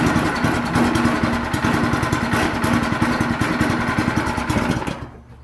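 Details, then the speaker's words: Yerf Dog/Murray go-kart with Predator 212cc 6.5 hp engine on the original rubber motor mounts, first start: single cylinder thumps fast and unevenly with loose rattling; engine vibrating hard, chain flopping, so mounts were removed. "so we just had to remove those uh rubber motor mounts they were vibrating like crazy and the chain was all over the place so it was not going to last"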